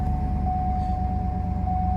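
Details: 2007 Cadillac Escalade with no-start no-crank fault, started after removing a green clip (BCM suspected): steady deep V8 idle rumble with a faint constant whine, no misses or knocks; engine running normally though ABS and brake lights remain on.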